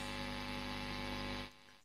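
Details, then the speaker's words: Marshall Kerry King Signature valve amp, EQ at noon, master and gain turned up, audio boosted: loud steady buzzing hum with hiss, cutting off when the gain drops. Owner suspected mains hum, but it is not. Noisy preamp valves. "you can tell that is actually quite a noisy amplifier okay so it's not a main some but there's definitely noise going on there"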